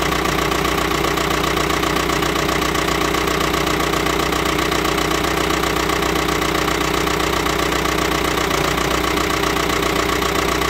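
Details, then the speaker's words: Ford 6610 Force II diesel tractor after a Mahle geared starter upgrade, started without the excess-fuel button or manifold heater. It holds a steady, even diesel clatter at a quick idle with no misses or knocks. Normal. "So that was it, firing up. No cold start aids, so I didn't use the excess fuel button, and didn't use the manifold heater."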